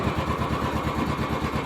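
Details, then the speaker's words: Royal Enfield 350 single at steady idle: rattly "khatpat" clatter on each beat; valvetrain ticking from excess play. "आवाज कर रहा है खटपट खटपट आवाज कर रहा है"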